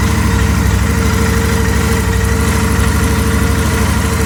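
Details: Royal Enfield Interceptor 650 twin at steady idle with a constant mid-pitched howl over the even engine beat; abnormal engine howling, source not identified.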